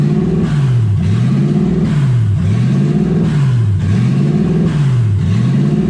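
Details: 1UZ V8 Ford Falcon on first drive, warm with radiator hot and gauge near 160: the idle surges and falls back about every second and a half, never settling. Owner unsure why; hunting idle.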